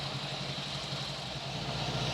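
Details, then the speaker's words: 1952 MG TD idling after its ignition timing was adjusted and the idle speed reset. Even steady putter, clean exhaust note, no misses or tapping; the engine idles properly. "at least adjusted the idle because when you change the timing it's going to change the idle but that sounds pretty good we'll take that for now"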